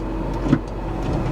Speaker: that door works very nice they both open like they're supposed to and they both closed like they're supposed to